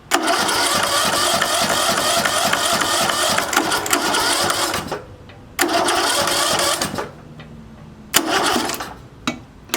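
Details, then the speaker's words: Curbside-junk John Deere riding mower cranked by jumping the starter directly, spark plug pulled for a spark check; several bursts of cranking with pauses and it never catches; turns over but no start, apparently getting fuel, cause unconfirmed. "Still didn't want to act like it was gonna start. Wasn't like it wasn't getting fuel, but listen."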